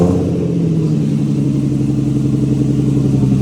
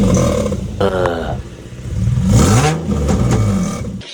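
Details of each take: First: Exhaust revved to about 2-3k RPM after replacing a leaking exhaust gasket: the engine pulls up smoothly to a steady, even drone with no puffing or ticking. The exhaust leak noise is gone and the exhaust sounds sealed and healthy. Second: Repeated revs with a raspy puffing edge that grows on load; exhaust leak and missing bolt found while installing exhaust tips, owner links it to warning lights and code P2A00 (O2 sensor).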